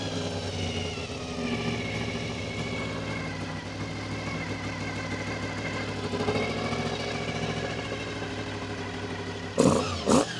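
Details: Honda VFR400 NC24 motorcycle after stripping, cleaning and rebuilding blocked carburettors: uneven idle creeps up in pitch as the carbs are balanced against the lead carb, so idle must keep being turned down; carbs still out of balance.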